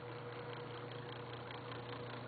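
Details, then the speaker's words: Webcor model 2711 tube reel-to-reel tape recorder, recapped, in record with volume up: constant low hum under everything while mic signal still passes; extreme hum after recap, source undetermined. "you can tell the hum is coming through that but whenever i try to speak through the mic uh uh uh the signal does go through"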